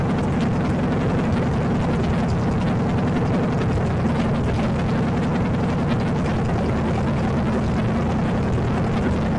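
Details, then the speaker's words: Salvage-yard AMC 360 (5.9L) V8 from a Jeep J10, newly installed in a 1976 AMC Gremlin, during break-in: steady, even drone at constant fast idle, no knocks, ticks or misses; break-in went great, temperature and oil pressure monitored. "For some reason I'm missing my video for after I got this all done, but the engine break-in went great."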